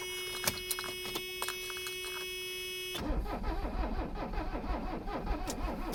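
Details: Abandoned Mercedes 300CD diesel after long storage, being revived; injector lines cracked open at the 17mm fittings for bleeding: steady rhythmic starter churn with no catch or firing. Cranks but won't start; cause not confirmed.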